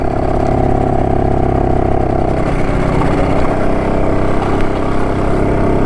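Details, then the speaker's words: BSA D7 Bantam two-stroke under restoration, on a ride after tuning and timing work: sounds better but drones and stumbles at full throttle instead of pulling cleanly; cause unconfirmed. "it certainly sounds a lot better than it did I'm not going to go up the main road if you could be a coward drive it around here it still doesn't like Full Throttle"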